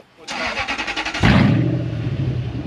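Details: 2004 Toyota Land Cruiser with its 18-year-old rusted-through exhaust and muffler removed: quick burst of cranking, then deep, loud booming idle; loud exhaust, muffler removed.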